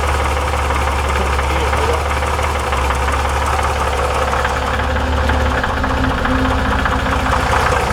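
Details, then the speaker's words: 1961 Chevrolet Corvair Lakewood wagon engine with new rings and valve job, hot idle turned down: steady metallic rattle that goes away with slightest throttle; runs fine cold. Suspected loose cam or crank timing gear; low oil pressure also noted. "the gear a Loose Gear will rattle like that and go away under load cuz it's under load"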